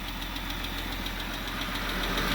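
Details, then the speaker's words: Jeep Grand Cherokee 3.6 Pentastar petrol V6 at idle: sharp regular tick about seven a second, heard mostly from bank one; suspected rocker arm ticking. "but y'all say ladies and gentlemen this is bank one that ticking noise is coming from bank one [Music] side yep I hear it mostly over here"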